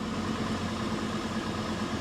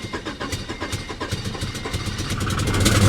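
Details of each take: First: Salvage-auction vehicle with about 350,000 miles, started with a booster pack: smooth, even idle with steady low hum and no knocks, misses or rattles; runs great, though power steering doesn't work; normal idle. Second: Salvage-auction car (classic Honda Accord with PGM-FI) at Copart in Danville, Virginia, started after cycling the key and given throttle: loud, raw, uneven, unmuffled exhaust pulses, lumpy then swelling, running rough with high idle; cause unconfirmed.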